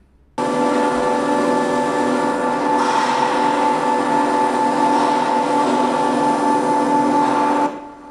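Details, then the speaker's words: Motor with a submerged pump in an oil-filled tank, rigidly bolted to the tank and a large steel instrument panel: loud, steady drone with a ringing hum as the panel radiates structure-borne motor vibration, measuring 89–91 dB near the tank and panel bottom. "the submerged pump is rigidly bolted to the whole tank a large steel instrument panel is then rigidly connected to the tank this design ensures the maximum noise possible"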